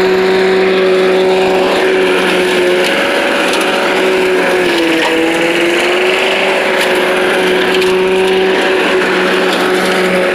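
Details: Old Rover Turbothrust mower built in Brisbane, Australia, no battery fitted, cutting grass into the bagger: a steady high drone sagging briefly as the blade bites, then recovering cleanly. Normal running under load; owner thinks the blade brake shoe may need replacing.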